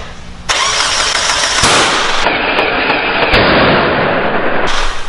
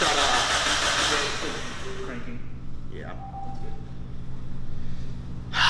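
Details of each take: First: Mazda Miata first start: cranking ends in a sharp loud bang and harsh roaring bursts instead of catching; cam angle/ignition timing is 180 degrees out, causing an intake backfire. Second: Freshly built Mazda Miata engine, first start attempt, cranking: even steady churn with no thumps or knocks between strokes; sounds healthy, no knock.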